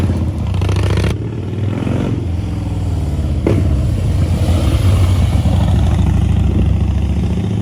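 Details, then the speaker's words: 2011 Harley-Davidson Heritage Softail after fixing a no-start with a replacement fuel pump (old one primed briefly) and fresh fuel: loud, lumpy V-twin beat settling into an even idle, no knocking or misfire; normal idle. "starts now runs good uh put some good fuel in it and uh should be good to go for a little while anyway"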